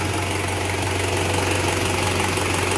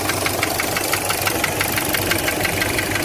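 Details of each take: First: Toyota 1KZ-TE diesel after repair of a knocking piston with a scored cylinder liner, now slightly warm: steady even idle clatter and low hum, no knock heard. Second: Toyota 1KZ-TE diesel idling: steady, hollow tuk-tuk knock about three a second; on teardown the piston rocks loosely in a scored liner; piston slap.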